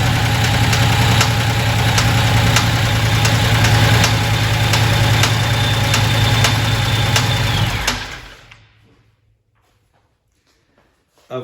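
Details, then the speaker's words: Supercharged 2010 Dodge Challenger Hemi V8 at idle, coil re-plugged on second-from-back cylinder: sharp even ticking/popping heard toward the intake, about three or four times a second, until shutdown; traced to a loose rocker shaft, displaced pushrod and broken cylinder head casting. "he can't get it back unplugged but it is definitely got a crazy weird popping sound. It sounds like going into the intake so I'm thinking that we have a valve issue here."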